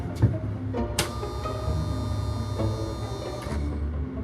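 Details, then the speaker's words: 1974 VIP Tri-Hull boat with rebuilt Mercruiser 3.0, after winter storage, checking switches; steady low electric hum with thin even motor whine, no surging or rattle: bilge pump running normally. "Nope, that's a bilge pump. I can hear it."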